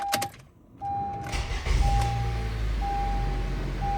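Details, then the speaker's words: 2012 Honda CR-V 2.4L, 143k miles, new reman starter just fitted with intake manifold refitted and throttle body cleaned: brisk short crank catches within a second into steady idle under dash chime. Normal starter cranking. "Wow, it starts up right away. The Reman starter, it sounds like it's a lot stronger than my old one."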